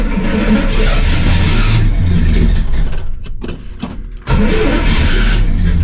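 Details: 1968 Pontiac LeMans V8, sitting most of the winter, cold start: loud uneven lumping and surging, briefly sagging before catching; owner suspected timing at first, then it smooths out and runs strong.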